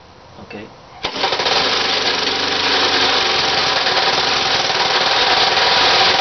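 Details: Homemade 27 cubic inch three-cylinder stacker radial built from three 9 cubic inch Briggs lawnmower engines, run outdoors around 26°F; harsh rapid clattering knock about four beats a second over loud open exhaust, from too-loose joints between the three crankshafts, not connecting rods.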